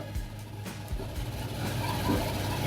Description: Samsung DV80M5010QX Optimal Heat Pump Dryer was making extremely loud noise during operation. After troubleshooting, found the motor bearings completely worn out.